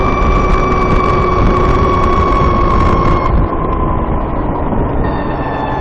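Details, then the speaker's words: VX1 warmed up, climbing a small hill at lower speed under load: a thin, steady high chirp over heavy wind rush; owner says the transmission chirp is louder once warm and starts around 30 mph. Cause not confirmed. "This is when it's usually worst, at lower speeds under load. If I could climb a hill, that would help, but there isn't a hill around."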